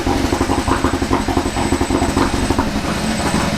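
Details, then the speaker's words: Kia Ceed GT (pro_cee'd GT) cold start at 2 °C with long-standing cold-start misfire: lumpy idle with stumbling pulses, misfiring far worse than before, engine light flashing, strong rotten-egg smell; owner suspects catalytic converter. "it started doing something that it's not done so far that is very worrying it's misfiring loads but way worse than it's ever done it before"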